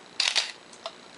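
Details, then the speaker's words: Minolta X-700 35mm SLR with a 50mm f/1.7 lens, shutter speed set manually and self-timer off: a crisp double clack of mirror and shutter, then a soft reset click. The shutter fires cleanly, so operation is normal. "we can set the shutter speed manually here to one one thousandth oh and shut off the timer 500 250th 125th one-sixtieth one-thirtieth one-fifteenth"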